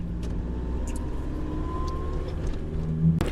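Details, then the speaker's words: Toyota Revo diesel that had white smoke and rough running at high rpm, after repairing the one injector not holding pressure: even engine drone with a slowly rising whine and no knock or crackle; running cleanly, with only black smoke under heavy throttle. "อ่ะลองสตาร์ทเบิ่งครับส้างไปอ่าเครื่องเดินนิ่งปกตินะครับ"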